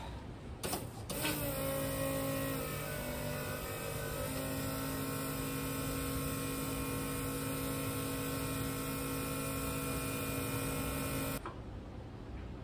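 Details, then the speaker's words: Two PCM-controlled fuel pumps, including a 044, newly wired for a turbo LS swap in a 1955 Buick, engine off; steady smooth electric hum, the 044 dragging down as it starts pushing fuel, no surging or grinding, no leaks: normal fuel pump operation. "now turn it on and uh both pumps will be [Music] running where hear that 044 drag right down when it starts pushing fuel I think it's working"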